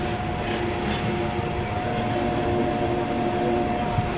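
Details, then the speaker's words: Super Asia AC air cooler converted from 220V AC to 12V DC with replaced fan motor and pump, on a low battery; constant even hum, no rattles or surging; new pump and fan running normally. "ये हमारा जो पंप है ये भी काम करना शुरू कर दिया इसने, और बेहतरीन तरीके से।"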